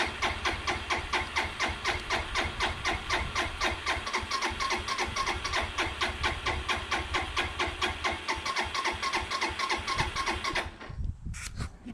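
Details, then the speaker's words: 2002 Suzuki GZ 250 after sitting 15+ years, fuel on, neutral, choke applied: even starter cranking about two pulses per second for ten seconds without firing; long crank, no start. "Let's go ahead and give it a little choke, and I imagine it's gonna spin over a little bit, so hang out with me. See how long it takes."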